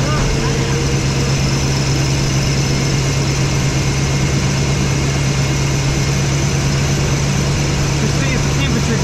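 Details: Chevy 3500 squarebody crew cab after changing all spark plugs: steady, even low idle with constant drone and no misses, knocks or stumbles; small exhaust leak smokes a little.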